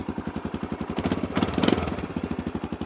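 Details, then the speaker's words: Machine left sitting about a year, earlier cranked repeatedly on a dead battery, starts easily once a good battery is fitted, against expectations of carb work: an even single-cylinder thumping idle with no misses or stumbles. Normal, healthy idle. "I 100% was not expecting that to start that easy. I wasn't expecting it to start at all."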